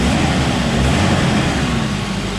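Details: 1986 Volvo 245 DL wagon, original-mileage 141 cu in (about 100 hp) red block inline-four donor engine: steady low rumble at constant speed with no ticking or knocking; idles normally and runs great.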